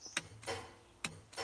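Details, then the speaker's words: Westendorf loader joystick on a power-shift tractor: crisp sharp clicks, four in under two seconds, as the electric grapple solenoid switches normally. "that clicking so that's yeah let me get my fingers that's for the grapple or even the grabber that I will have on the front of this loader"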